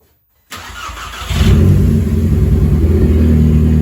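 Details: VW GTI 2.0T after rebuild with exhaust and intake valves redone and leak-tested: starter cranks briefly, catches quickly and settles into a steady, even idle with no knocks or ticks; healthy start.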